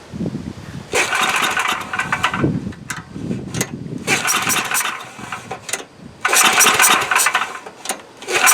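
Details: Coleman Powermate Maxa 5000 ER generator, old 10 hp pull-start engine, with new replacement carburetor: repeated pull-starts with sputtering bursts and a few pops but never catches; owner thinks it started better without the new carb; won't start.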